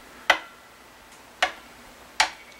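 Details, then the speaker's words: 2021 Blueberry Epiphone 335 with high action and tuning/intonation complaints: three sharp dry clicks a second apart in a quiet room as a fret rocker rocks on unlevel frets; possibly why action was set high. "so the 12th there's an exception right there okay so there's a few spots that have some rocking now"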